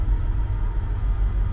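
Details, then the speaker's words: International 1210 truck V8 with a Holley 2300 Super Sniper EFI, shortly after start: settled at an idle of about 700–725 rpm. Deep, even rumble with no misses or ticks. Healthy idle. "you can see kind of gently bringing it down to idle which I have set at about 700 RPM 725 Maybe"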